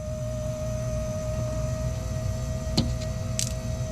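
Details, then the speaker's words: Dodge Shelby GLHS Charger, Chrysler 2.2 Turbo: the brand-new fuel pump randomly fails and won't start the car. Power and ground were confirmed; after knocking the tank bottom, a thin steady in-tank pump hum resumes over low engine-bay rumble. Faulty, intermittent fuel pump. "no pump's running no sure is I have a faulty pump that's what it is"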